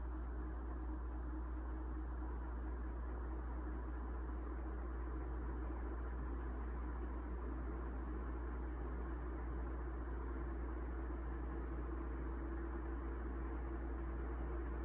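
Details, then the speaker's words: 1981 Evergo 36-inch industrial ceiling fan, model 3E-6, cast-iron motor, on variable speed control: steady low hum under even airy whoosh, a slight start-up buzz, thought to be from the control, fading as it reaches speed; running smoothly. "Now when it first starts up, there's a slight buzz from the motor, and I'm guessing that's just caused by the variable speed control, but when the fan gets up to speed, that kind of fades away, so here it is."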